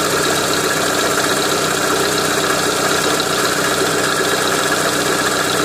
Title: Рено меган 2 стук двигателя 1